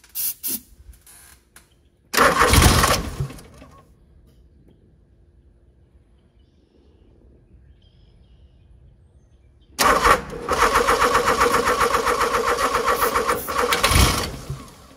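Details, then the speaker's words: Genie GS-3268RT scissor lift engine: ether test done before the carburettor was fitted, then short cranking bursts and brief catches that won't keep running, with backfiring through the carburettor; ignition timing suspected slightly off, unconfirmed. "all right sounds like got the timing is off a little bit backfiring through the carburetor but I don't know"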